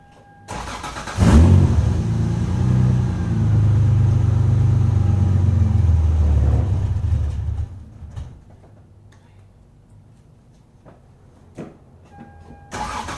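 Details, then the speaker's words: 1996 Lexus SC300 2JZ, manual W58, at about 60°F, colder than usual. The starter churns at a steady beat for about six seconds without catching cleanly: an extended crank and hard start before the fuel pump ECU bypass. Cause not confirmed. "So as you guys saw there, it took incredibly long to start. Now it is a whopping 60 degrees out right now, so it's much, much colder than it has been when I've demonstrated that for you guys."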